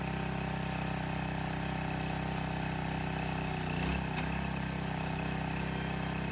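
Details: Landworks 20-ton log splitter's new single-cylinder engine just fired up, loose choke lever creeping toward run; putters evenly at about four beats a second, bogs briefly under hydraulic load then recovers smoothly, quieter than expected; healthy normal running.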